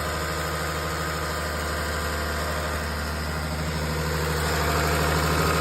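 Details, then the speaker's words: 2004 Lexus ES330 idling after timing belt replacement and pulley bolts torqued: steady even idle with light fast injector ticking, no chirp or knock; normal idle. "So real quick, I'm going to start this up. And it sounds pretty good. I don't hear any horrible noises."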